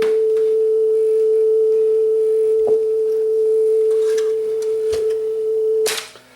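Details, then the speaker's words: Sanyo dual cassette deck after motor speed adjustment: test tone around 450 Hz wavers slightly in pitch under a few handling clicks; wow and flutter caused by insufficient flywheel inertia. "that's just due to the lack of inertia on the flywheel that's what's causing that nothing more than that"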